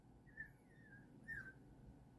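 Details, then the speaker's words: Xenon plasma toroid globe driven by ~15 MHz LC RF circuit: two short high whistles sliding slightly down over faint low hum; builder's first impression is the gate being overdriven, unconfirmed. "that sound right there my first impression of really what that is is that's that's that gate being overdriven um so that's why it actually makes that noise"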